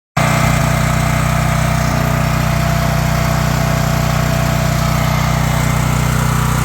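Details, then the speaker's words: Champion 9375 generator after a rebuild and valve adjustment that cured its no-start and backfiring: a steady, even engine drone at constant speed with no misses, pops or backfires. Running normally. "it runs it runs uh it the biggest issue was the valve uh valve uh settings had to adjust it pretty good there"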